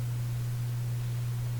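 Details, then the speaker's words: Canadian General Electric A55Z radio after replacing two electrolytic capacitors: loud steady low hum about 120 Hz with faint hiss, unchanged; mains hum persists, owner suspects a wiring error in the radio. "see what what I suspect is there's an error in this radio somewhere and that's why it's humming"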